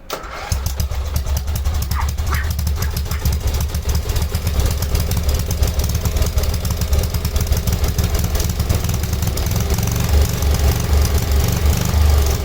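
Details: Cub Cadet 1106 riding tractor from 1987, sat over four years, in a function test. It catches within a second and settles into a steady, even single-cylinder thump: healthy running.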